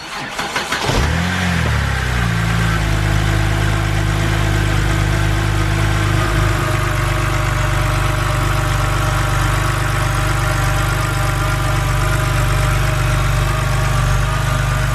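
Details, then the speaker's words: BMW 130i with N52 engine after replacing the serpentine belt, automatic tensioner and idler pulley: it catches and settles into a smooth, steady idle with an even low hum. No squeal, chirp or rattle from the belt drive. "All we need to do now is fire it up just to make sure there is no unwanted sounds."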